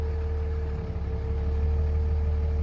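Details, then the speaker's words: Warm 2003 Dodge Ram 5.9 Cummins common rail diesel at 320,000 miles, after an in-frame bearing and thrust bearing replacement for a bottom-end knock. Low, smooth idle in gear, even hum, no knock or clatter. Normal idle. "so nice smooth idle and even when you put it in gear engine sounds nice and smooth"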